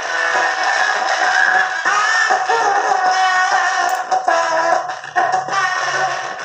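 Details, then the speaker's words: Matsunaga two-channel stereo amplifier with C5198 output transistors: music sounds rough, raspy and hoarse on one channel, the other slightly better. "nah seperti itu jadi suaranya serak teman-temannya"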